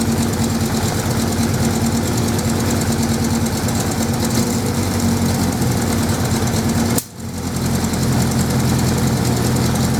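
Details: 1979 Suzuki GS550E just started after about five years laid up, on old fuel: steady idle with a rough, uneven pulse and occasional small exhaust pops; carbs not blocked as feared, but wants a tune-up.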